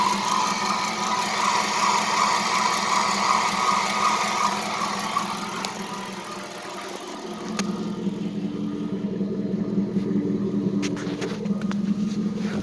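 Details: Dodge Charger R/T 5.7 Hemi idling after replacing shredded serpentine belt and bad belt tensioner pulley; faint steady chirpy squeak from belt or pulley, owner suspects belt too tight or pulleys not lined up.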